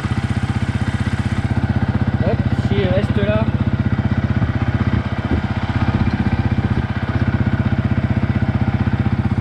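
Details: Yamaha YZF-R 125 single-cylinder with a Powertronic fitted and engine preparation, idling around 1900 rpm, off choke; steady even putt with a couple of quick throttle blips settling back cleanly. Normal idle.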